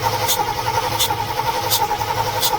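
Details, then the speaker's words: Engine with possibly old gas cranks with a steady, even starter whir but never catches or fires, taking longer than usual; flooding suspected, and a possible exhaust leak sucking sound noted; cause unconfirmed. "Usually it starts like right away, huh? Um, it's not usually this long that it takes, but it does crank. It does usually crank."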